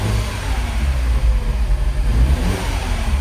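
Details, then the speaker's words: Second-gen MINI Cooper N18 1.6L turbo four-cylinder petrol running rough with code for a cylinder two misfire. Lumpy, uneven beat that persisted after swapping plug and coil, traced to a burnt valve. "So, I already checked faults. It's got a misfire on cylinder two."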